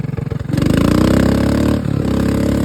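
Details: Mud mower with a single-cylinder engine: quick cranking pulses, then it catches at half a second and settles into a steady, even-firing run; normal start and idle.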